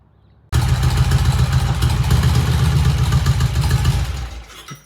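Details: 1968 BSA twin motorcycle on test ride, all four gears engaged, clutch action smooth: pulls in with an even, firm beat and settles smoothly as it stops; sounds healthy and runs clean.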